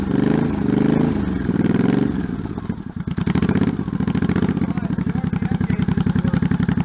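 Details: 1984 Honda Shadow VT700c V-twin, first startup after sitting over 7 years, carbs and fuel lines rebuilt, main tank off, started with starting fluid; a couple of throttle blips then lumpy but steady idle about four beats a second; the engine runs.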